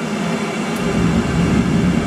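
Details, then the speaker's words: Commercial oil boiler burner rated 100–267 kW, set to minimum (100 kW), fed from a bunded oil tank; after pre-purge and ignition a deep steady rumble builds and holds with strong vibration, no pulsing or stuttering; firing cleanly. "Oh yeah, we've got some power, we've got a flame. Happy to shout now so you can hear me."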